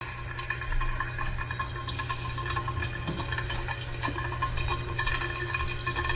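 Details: Pipe with valve locked off tight: steady rushing hiss with low hum, like water still flowing through; noise only when shut off tight, cause unknown.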